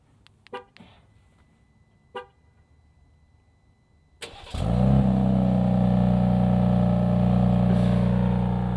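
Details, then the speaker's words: 2025 Ram 1500 RHO, 540 hp Hurricane twin-turbo inline-6, remote start heard from behind the truck, already warmed up: quiet, then starter catches and settles into a deep smooth even idle, no knocks or misses; sounds like a G80 M3. "Kind of sounds like a G80 M3 when it starts, and kind of at all times."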